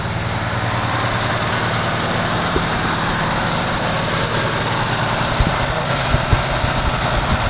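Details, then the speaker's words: 1974 Chevy Nova V8, long-sitting, first start after fuel poured into carburetor bowls: fast, steady high idle with constant whine, no drop-off; choke stuck on racing the idle, engine smoking. "gobbled up way too high someone cranked that idol up why'd they crank it up like that i see it's the uh the choke is still on"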